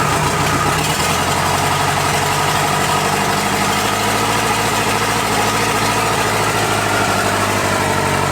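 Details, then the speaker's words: Toyota LandCruiser 40 series B diesel engine, first start after rebuild, on engine stand/lift: catches and settles into steady, even diesel idle with clean rhythmic clatter, no odd knocks; normal idle. "um juicy sounds good she sounds like a beauty yeah"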